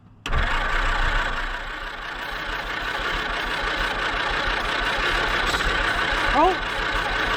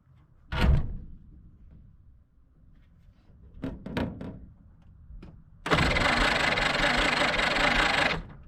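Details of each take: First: 1946 Jeep Willys CJ-2A after sitting for years, first start after new plug wires restored spark and two-stroke mix poured in: cranks, catches and runs steadily but slightly unevenly, no knocks: engine starts and runs. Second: 1946 Willys CJ-2A Jeep after sitting for years, starter installed: after clunks the starter spins the engine evenly for about two and a half seconds, never catches; cranks quickly, seems to have compression, spark doubted.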